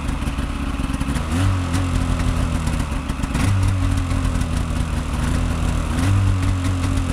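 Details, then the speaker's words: Snowmobile with twin carbs and oil injection, two-stroke, cold start on full choke after a night at minus 20-something, frost on the tank: burbles on choke with small rev surges every couple of seconds, but starts and holds a steady idle. "all right so that's a cold start it was running yesterday but has it been last night it was minus 20 something so it's C full choke"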